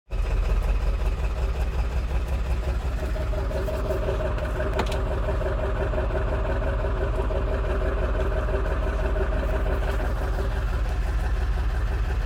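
Engine idling with an uneven, lumpy pulse, about three beats a second, that never settles; a rough idle, cause not yet known.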